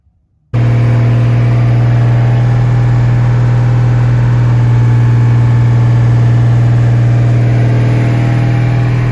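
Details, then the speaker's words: Turbo 300 4.9 inline six with a newly installed Comp 268 cam and aluminum radiator, about 17-18 minutes after first fire-up, coolant around 209, 60 psi oil pressure: steady, even low hum with no misses, ticks or knocks, a healthy idle. "It's been about 17 or 18 minutes. Coolant temp's still hanging around 209. Everything looks good. Still got 60 pounds of oil pressure."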